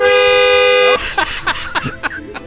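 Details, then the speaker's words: Crash-damaged Porsche 911 GT3 with a digital dash and 2,500 miles, first start attempt after the crash, keyless, clutch down: a steady loud horn blares for about a second, then cuts out; horn triggering on start, cause unknown. "That's loud, isn't it? Did you hear that? Why is it doing that? It's German. Is it going to always do that? I don't know. That's really annoying."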